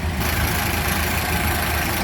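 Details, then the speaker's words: 1929 Ford Model A Tudor sedan idling with one side of the hood open: a steady, even low idle with soft mechanical chatter from the engine bay and no knocks or misses. It runs smooth and healthy. "Got one of the sides of the hoods open. Listen to her purr. Pretty cool."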